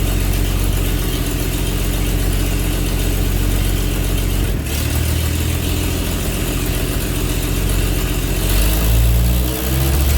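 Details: 1948 Chevy truck engine, not run in 30 years, diesel in the oil pan, first start after the ignition points were readjusted: old engine idles at a steady, fairly even beat with no misfire until the pitch drops near the end; the owner later suspects lost spark.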